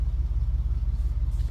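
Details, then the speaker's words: 1979 Ford Bronco carbureted V8 cold start after priming the carburetor and setting the automatic choke, with one pump of the gas pedal; fires right up into a deep, steady low throb at warm-up idle, no misses or knocks. Normal idle. "And then I pump the gas pedal once during that process, fires right up. You can hear it running."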